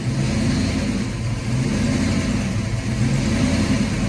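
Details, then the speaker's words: 1991 Ford Mustang GT hatchback V8 cold, after an ECU change: idle hunts erratically, swelling and sagging every second or two; owner suspects the cold and IAC relearning, says it goes erratic when cold and calms once warm; cause unconfirmed. "That's a pretty good idle surge right now, probably because it's cold. It has to relearn that IAC too, I think."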